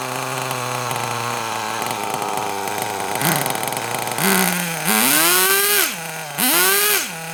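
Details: Kyosho Mini Inferno nitro RC car after ticking over a few minutes, low batteries causing throttle delay: idles, then revs sharply three times and drops back cleanly each time; sounds a lot better, running smoothly.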